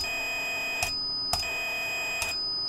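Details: Najda DSP board (Wroclaw Audio Force) on test: a clean, steady high test tone with only brief clicks between segments and no distortion or overload; the output plays normally, unlike the bizarre noise heard when a correction filter was applied.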